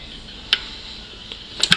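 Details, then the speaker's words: 2002 Honda CRF450R, half a tank after a full bottom-end rebuild, slowly kicked over with a bar pressing on the piston: sharp irregular metallic clicks remain, ruling out a loose rod or bad bearing; cause still unknown. "you can hear the clicking still there so it's definitely not a loose rod or a bad bearing"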